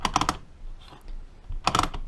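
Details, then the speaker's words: Rebuilt 1946 Knucklehead 4-speed Harley transmission, kicker assembly after fixing a clicking issue: crisp ratchet clicks on the kick stroke, free and quiet on return with no rattling; kickstart ratchet now working properly. "you can hear it's still ratchets if the engine starts and then when I go back all the way up it's free and there's no more rattling so that fixed it"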